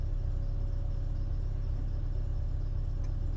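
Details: 2001 MINI Cooper R50 at about 87,000 miles on the cluster, after instrument cluster replacement with the airbag fault light on: steady low, even idle rumble with no knocking or squealing; normal idle.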